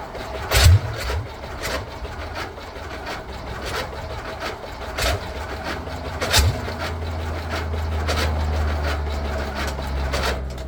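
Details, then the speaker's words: VW Beetle rat rod, first start after a long build: starter churns in low uneven bursts without firing. It is not getting gas; owner wonders about the gas filter sitting on its side. "For some reason we're not getting gas."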